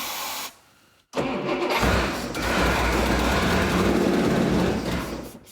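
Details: 1975 Chrysler Conqueror jet boat with a 318 V8, fed brake cleaner into the carburetor because no gas reaches it despite a correctly hooked-up fuel pump. It cranks, catches and runs strong for a few seconds on the spray, then dies as it starves.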